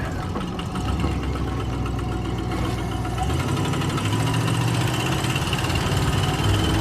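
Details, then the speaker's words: Oldsmobile V8 with low compression on cylinder five, running cold at half throttle on seven cylinders: lumpy, uneven low rumble with a stumbling beat, yet it still pulls fairly well; misfire under load. "still pulls pretty good even for running only on seven cylinders I'm surprised I can't wait to get it to run on all eight see what she can do then"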